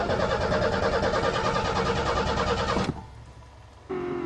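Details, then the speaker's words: Car unstarted since April, started with a "redneck key" in park, fuel pump not heard; steady rhythmic cranking about three turns a second for nearly three seconds, never catching, because the coil wire was left disconnected: cranking no-start. "don't hear the fuel pump. Straight in there. Pardon? Oh, put the coil wire back on, I forgot."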